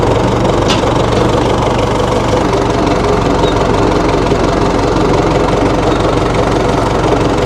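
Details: 1960 Massey Ferguson FE35 4-cylinder diesel tractor, after sitting long in a paddock: steady, fairly even idle clatter around four beats a second, no heavy knock standing out; runs healthy.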